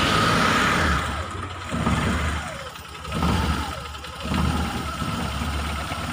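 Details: Mitsubishi T120SS fuel-injected, hard starting, sputtering and high fuel use: idle surges and sags every second or so with stumbling beat, can't hold steady revs; rough idle misfire.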